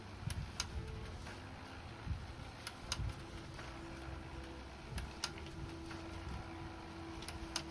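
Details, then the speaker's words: HP LaserJet Pro M202dw after fixing a clattering noise by adjusting pressure and refitting the motor timing belt: quiet even whir with light paper-feed clicks, no knocking, grinding or slipping; normal printing after repair. "देखो दोस्तों पहले पब्लिंग कर रहा था loading नहीं हो रही है। एकदम प्रॉपर अच्छे से वर्क कर रहा है।"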